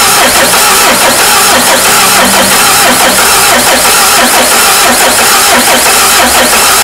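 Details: Peugeot 307 HDi 2.0 common-rail diesel that died while driving and wouldn't restart. Continuous starter cranking with an uneven churn under heavy hiss, never catching over seven seconds. Cranks but no start.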